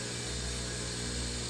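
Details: Whirlpool Duet washer after F21 drain pump filter clog cleared: steady even spin roar, constant low hum and smooth hiss, no grinding or labouring, no F21 code; earlier burnt smell from suffering pump gone, pump and drum fine.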